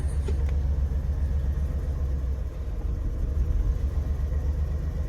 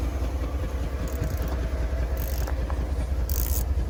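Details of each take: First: Chevrolet S10 pickup, mouse nest previously in the valve cover; uneven lumpy idle wavering and sagging, near stalling; rough idle, owners suspect idle set too low and raise the idle screw. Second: Chevrolet S10 fuel-system project after a mouse nest in the valve cover, idle screw turned up after it died: low, steady idle pulsing at about 100 beats a minute and holding without stalling; normal idle.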